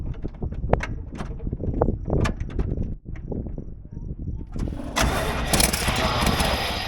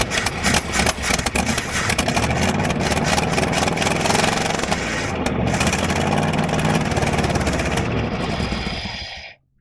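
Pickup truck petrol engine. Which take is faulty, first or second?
first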